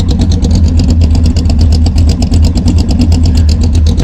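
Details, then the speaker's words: Cammed engine with a Brawler 650 CFM double-pumper carburetor (mechanical secondaries), warmed up, timing 16° initial / 36° total: deep loping idle around 900 rpm with a steady choppy cam beat, even and healthy, no knocking. "back up to uh this regular idle which is about 900 with this cam seems to be pretty good on it you just hear it chopping"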